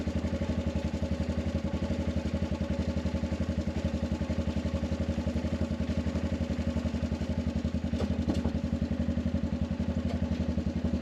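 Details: Arctic Cat 500 ATV outdoors near 0°F, running after no-crank no-start fixed by recharging dead battery: single cylinder idling evenly about four beats a second, steady firing, no misses; healthy.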